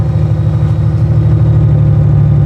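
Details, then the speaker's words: 2013 Honda Goldwing F6B, 3,716 miles: deep, heavy low exhaust rumble at idle and light revs, louder than stock; unclear if pipes are stock or if baffles were removed by previous owner, with no knocks or rattles heard. "Here's the only thing, when you turn it on, it's kind of got like a low rumble to it, but I think those are the stock pipes."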